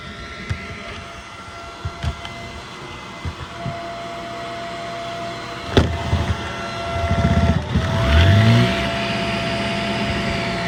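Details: Shark Rocket HV301 stick vacuum, trash find that was clogged, run after filters washed: handling clicks, then motor spins up to steady even whine and holds; much better, running normally.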